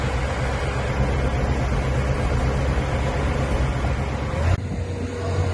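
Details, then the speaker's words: 1958 Cadillac Eldorado, 365 V8 with three two-barrel carburetors, idling on a new near-original exhaust with rear resonator and factory-style mufflers; soft, even, very quiet rumble with no ticks or blowing, factory quiet; normal idle. "But you can barely hear it run. Like I said, factory quiet. Don't want any noise on this Cadillac. Running like a watch."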